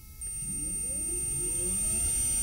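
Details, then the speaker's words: EV hypE electric conversion propulsion unit on a test bench with two batteries, in reverse: motor whine climbs in pitch then levels off and holds steady despite more throttle, as the reverse speed limiter works normally. "as you can see i can give more gas or throttle input and it will not go any faster because it's limited"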